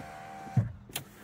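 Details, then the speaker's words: Low-mileage Toyota MR2 stood since the start of Covid, electrics checked on first inspection; short smooth electric whir, then a soft thump as the glass stops; window motor runs freely; normal power window operation. "uh the electric windows working yeah there's a button there so the electric seem to be"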